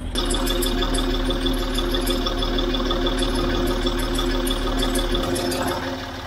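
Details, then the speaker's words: Land Rover Discovery 3 TDV6 diesel, run six years on wrong oil, low oil pressure: steady idle with a light uneven clicking rattle about three per second, louder on one side than the driver's side; cause unconfirmed, engine failure feared. "car has, in my opinion, developed a new noise. It's not on the other side, this noise, so it's only here. Let me show you again. It's like a little rattling or a clicking noise."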